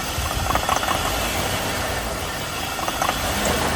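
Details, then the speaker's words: 2002 Cadillac SLS Northstar V8, just started on jump pack: uneven lumpy idle with surging, shaking and light rattles but no engine knock or lifter tick; rough idle, cause unknown, owner ready to replace head gasket if needed. "Shaking. Not running good. But no engine noise, no lifter tick."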